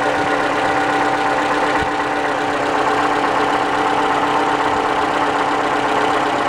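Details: 2012–2015 Toyota Camry engine (clip labelled 2015) at cold start-up idle: a light, fairly even ticking knock or rattle, roughly four per second, source not pinned down; cold start knock.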